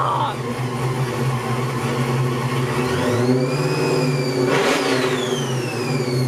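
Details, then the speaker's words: LQ9 408 stroked LS V8 in a GTO, first start with a new Magnuson TVS 2300 supercharger, untuned: loud, lumpy but steady idle; a blip brings rising then falling blower whine before it settles back cleanly. "How can it just crank up and run that good?"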